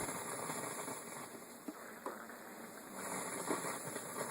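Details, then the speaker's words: Steady constant hiss in the left playback channel only of a Teac A4010S reel-to-reel tape deck, right channel quiet; too low to register on the VU meter; a PNP transistor was first suspected but was not the cause. "quite a hiss and it's only in the left channel toots nothin the right channel is is quiet it's only in the left channel so we have to investigate that"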